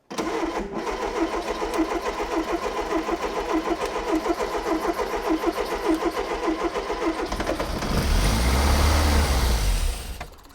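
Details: Mk1 Ford Fiesta Super Sport barn find, parked about 20 years, full choke, cold: steady rhythmic cranking about seven seconds, a brief rougher surge as it tries to fire, then drops away; won't catch.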